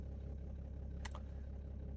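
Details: 2008 BMW 330d diesel idling after glow plug module replacement with codes cleared: low, steady idle with an even beat and no stumble or misfire, one brief click. No glow plug faults returned, but the engine was not cold enough to test the start-up smoke.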